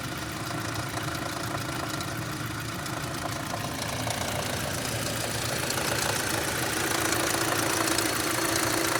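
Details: 2006 Audi A3 2.0 idling with a light, fairly regular knock about four times a second, still present after cleaning the oil sump; source not pinned down.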